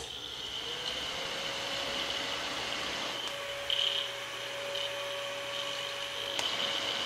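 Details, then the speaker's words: Fostex D1624 hard-disk recorder cooling fan, testing a replacement fan sold as super quiet: constant airy hiss with a steady mid-pitched hum on top, even noisier than the original fan. "that sounds like okay that's why we're here sounds very similar this one here is just an even more noisy"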